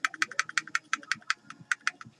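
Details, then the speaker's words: Echo1 M14RIS airsoft gearbox with new gears, piston and head, SP140 spring and Max Torque motor, shake test after some shims were removed: sharp bright clicks about six per second; gears rattling from loose shimming. "can hear him rattling around it's okay but not good"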